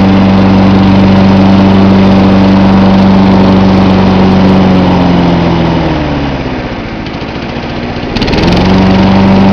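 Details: John Deere 14SE mower, Kawasaki FC150V engine, started cold with choke on, camcorder set on top of the engine: steady, even single-cylinder idle thump that sags briefly then picks back up cleanly; normal idle.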